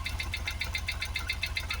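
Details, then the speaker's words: Supercharged Jaguar XKR V8 after twin fuel pump replacement for a no-start; rough, uneven lumpy idle with ticking, bonnet visibly shaking, running on seven or maybe six cylinders: misfire. "you just tell by the vibration look at the Bonnet going we're definitely only running on uh seven cylinders maybe six but we're not all not on the full eight"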